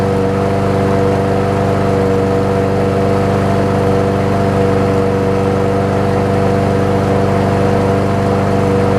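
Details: Troy-Bilt XP push mower, after replacing the broken 25mm blade adapter (blade key) that made it extremely hard to pull. It fired right up and holds a steady, even drone at constant speed with no knocking, misfires or rattles.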